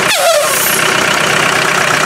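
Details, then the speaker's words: Land Rover 300Tdi diesel idling, breather hose off and rocker cap open: loud steady rushing hiss; excessive crankcase blow-by pushing oil fumes and black oil, a reason to reject a used engine. "walk away. Did you hear how much back pressure was in it? Unbelievable."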